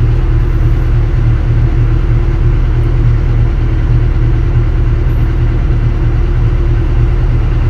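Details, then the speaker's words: Kobelco SK200-10 excavator diesel after its faulty controller was repaired and the hour meter returned to around 3,000: a deep, smooth, even idle with no knocks or misses; error cleared, only a low-fuel warning remains. "Coba kita hidupkan engine engine sudah hidup ya Alhamdulillah untuk errornya sudah hilang tinggal solat kurang"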